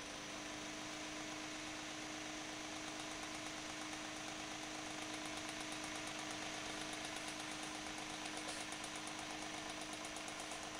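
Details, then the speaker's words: Refurbished antique GE Whiz fan with freshly oiled bearing oil cups, unused for a while, sitting on a cloth. Smooth steady motor hum with an even blade whoosh and no rattle or grinding: fan runs normally. "I just wanted to get the bearings lubricated up again with the the oil that I have in the oil cups so I'm just going to turn it on just plug it in here"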